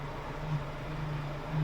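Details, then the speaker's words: Ford Escort running just after its no-start (battery cable) problem was fixed: a low, steady power steering moan that swells now and then and sounds awful. Cause not known. "it's not supposed to make that sound near"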